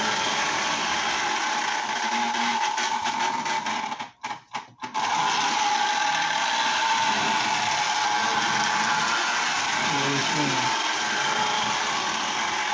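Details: Lionel Tie-Jector after the brushes were refitted and it was reassembled with the body: the small motor runs with a steady, even hum and a light gear whir, normal running; the nylon gears are possibly a bit noisy.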